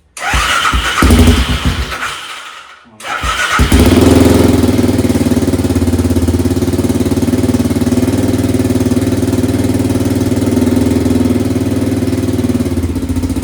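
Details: Bombardier DS650 quad single-cylinder, first start after top-end rebuild (high-compression forged piston, new/used head, new cams, gaskets, carb work, replaced dry-rotted fuel line): a brief stumble and pause, then a steady, even thumping idle. It starts and runs fine.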